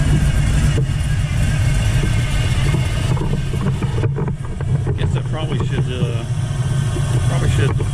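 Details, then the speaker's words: 1979 Chevrolet Camaro Z28, T-10 Borg Warner 4-speed, small block Chevrolet over 400 cubic inches, idling: steady mechanical whir over the lumpy idle from a noisy Pete Jackson timing gear drive, quieter Flowmaster F/X muffler fitted. "this is standard small block Chevrolet it's uh it's over 400 F big Ines but you sure can hear that Gear Drive"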